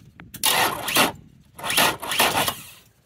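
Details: Outboard motor on a two-battery bank with selector switch, cranking sluggishly: two short labored half-second bursts that never fire; voltage-drop testing traces slow starter speed to corroded, high-resistance battery cables rather than battery or starter.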